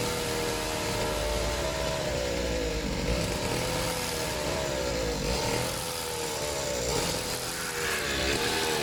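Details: Serviced pit bike / mini moto two-stroke while its idle is set; loud buzzy note wavering slightly, steady without misses; slightly smoky, owner plans an inline fuel cut-off; normal idle.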